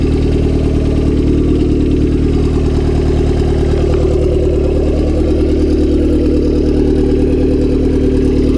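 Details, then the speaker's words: Turbo Honda Civic D16Y7 on a cold start the day after spinning a bearing: it settles to a lumpy idle with a deep, heavy knock keeping time with the engine, from a spun rod bearing. "So a day after I spun a shell, figured better give it a start, see what it sounds like today."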